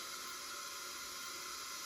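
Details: Front-engine dragster motor that sat about 30 years, leak-down test with the plugs out: steady airy hiss with the engine not running, heavy leakage past the rings into the crankcase and out the bottom end; one bad cylinder.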